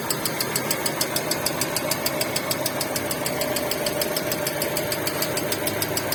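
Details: Hyundai Getz engine at steady idle: sharp metallic ringing tick, about three per second; knock inside the engine.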